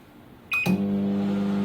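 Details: Microwave test run after repair: start beep, a click, then a steady low transformer hum with even fan noise; magnetron and high-voltage transformer working, heating normally.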